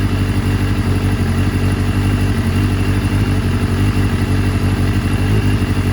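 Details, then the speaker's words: 1989 Kawasaki ZX7 four-cylinder after penetrating oil soaked in cylinder 2 to free suspected sticky rings, choke won't stay on; lumpy uneven beat with clattery rumble; rough running, cylinder 2 burning hotter and looking leaner. "Alright, we've got to run it for a little bit. Choke doesn't want to stay on, but I just want to make sure I can just burn off any of that penetrating oil."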